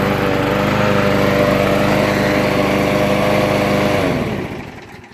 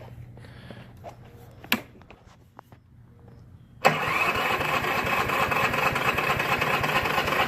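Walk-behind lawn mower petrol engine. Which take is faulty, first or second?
second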